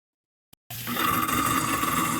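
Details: Garbage disposal switched on: silence, then a harsh roaring grind with a steady high ring on top, a destructive noise caused by a lodged beef rib bone. Fixed by turning the drum with an allen key, removing the bone and pressing reset.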